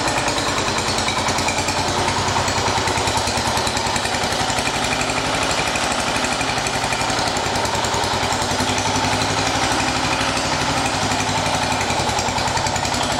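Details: 1980 John Deere 212 engine after crank seal replacement, cold day: steady, even popping beat at constant speed, no misses or knocks; normal running.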